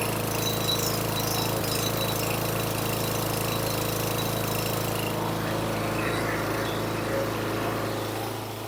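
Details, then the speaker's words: 2012 Craftsman mower small engine with a replacement carburetor (the original suspected of flooding), jetting adjusted, idle speed raised at the tab under the gas tank to mask a rough idle; fast steady run with a slightly uneven beat. "I increased the RPMs on the tab underneath the gas tank to try to compensate for the crappy idle. So I'll let you hear what it sounds like."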